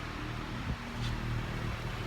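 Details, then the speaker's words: 2008 Honda Fit at idle after welding back the exhaust resonator, which had broken clean off the exhaust piping: a steady, low, even hum with no puffing, ticking or rasp. The exhaust is quiet and sealed again, a normal idle. "hey nice and quiet like she's supposed to be"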